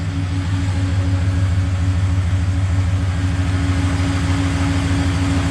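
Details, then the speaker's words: LS1-swapped GU Patrol on its first start after the rear main repair and the gearbox removed and refitted: an even, steady low idle burble with regular pulses and no knocks, ticks or stumbles; normal healthy idle. "that's the genuine first start [Applause] idling beautiful but beautifully"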